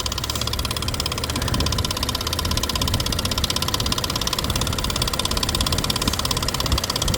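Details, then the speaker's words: 2017 Nissan Pathfinder at idle, hood open: fast, light ticking about three per second over steady idle, seeming to come from one side of the engine; oil looks good. Lifters suspected, intake likely must come off for repair. Not confirmed. "So I would imagine you're doing a little bit of work, taking off that intake and lifters to start with, that kind of thing."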